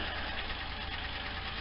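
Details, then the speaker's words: Cold Buick V6 warming up at idle: light, quick ticking over a steady low rumble, which the owner attributes to a noisy lifter when cold; cause not confirmed. "you let warm up a little bit because as you can hear the noisy lifter when it's cold so I don't like to take off with that thing taking like that"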